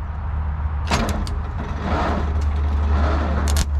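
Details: 1984 Lull Highlander 3 model 622 telehandler, four-cylinder diesel, sitting about 20 years: slow, labouring, uneven cranking with no start; battery at 12.4 V.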